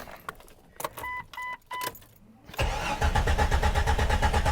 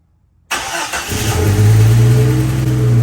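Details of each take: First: Jeep XJ, hard to start when cold since 2016, after sitting: brief cranking, then it catches and runs lumpy with uneven low thumping before clearing up; a fuel pump assembly issue is suspected. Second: Jeep Cherokee XJ with long-standing hard start when cold, after fuel pump assembly work found a badly plugged fuel pump strainer: quick crank, catches within a second and settles to a steady even low idle, no stumble or misfire.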